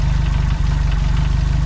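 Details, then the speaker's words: Renault R8 engine after an oil change (earlier run near-dry of oil, tapping and heavy smoking): lumpy uneven idle with heavy rhythmic chuffing each firing, lots of blowby venting out the rocker cover; no exhaust smoke; head later removed, holed piston found. "that blow by there I think it's an awful lot passing out the rocket cover so she's not a 100% engine"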